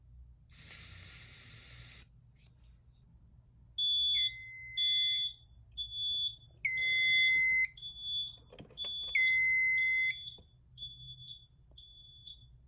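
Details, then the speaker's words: Notifier NFS-320C fire alarm panel CO sensor test: hiss of sprayed test carbon monoxide, then repeated high electronic beeps and tones signalling the carbon monoxide alarm while an amber strobe flashes. "There's the other carbon monoxide alarm, and the amber strobe continues to flash over there."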